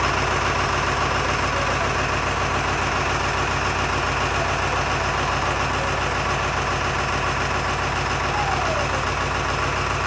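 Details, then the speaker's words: 7.3 Ford F350 OBS diesel barn find, unstarted for years, started by manually jumping the faulty glow plug controller: lumpy uneven idle, running on only 4 cylinders; misfire traced to chewed injector wiring. "Now, we've got at least one dead mess, but this this thing hasn't been fired up in years."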